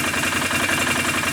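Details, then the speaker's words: 2008 Can-Am 500 HO EFI twin ATV, warm, after new plugs and AMSOIL fluid changes: smooth, even idle around 1250 rpm with no misses or knocks; runs really good, normal warm idle. "runs really good."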